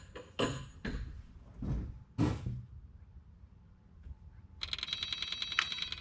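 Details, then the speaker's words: Kubota KX040-4 mini excavator after fuel filter replacement, key on: electric lift pump runs with a steady high buzzing hum, purging air through the opened bleed valve until a solid fuel stream comes; works normally. "You can hear the pump is working, pumping air, and we have a solid stream of fuel."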